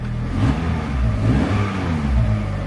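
Engine catches and settles into a steady low rumble with light revving, no knocks or misses, sounding normal after start.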